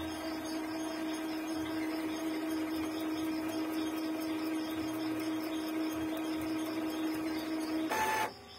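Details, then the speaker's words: Epson L3110 printer, blinking green and orange and not printing, during its automatic cleaning cycle: steady high-pitched mechanical whir with fast faint ticking, noisier than usual; owner considers it normal for an old, unused printer where ink causes rust. "Pero para sa akin, normal na yung ingay na ganyan kapag medyo luma na din or overstock yung printer."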